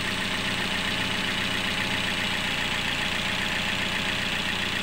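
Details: Toyota Yaris idling after repair. It previously ran very rough and a piston overhaul was expected, but the problem turned out to be timing. Now a steady, even, smooth idle with no knock or rattle.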